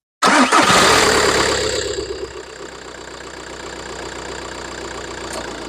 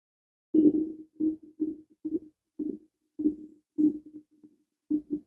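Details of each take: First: VW Golf 4 1.9 TDI 130 diesel with 464,000 on the clock, started after a thermostat replacement and coolant refill; cranks once and catches straight away, flares then settles to a steady, even idle with no knocks or misses. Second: VW Golf 4 1.9 TDI 130 after a thermostat replacement, refilled with pink G12 coolant in a self-bleeding system; soft, uneven bloop-bloop gurgles as air bubbles rise out of the coolant during the bleed.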